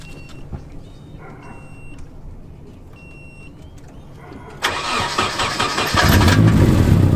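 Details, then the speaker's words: Cold start of a Nissan Silvia four-cylinder with stock dual-tip exhaust: it barks into a loud, raspy idle, louder than stock, because the muffler has a hole. Exhaust leak from a holed muffler. "Stock dual tip exhaust, but there is a hole in the muffler, so it's a little bit louder than stock."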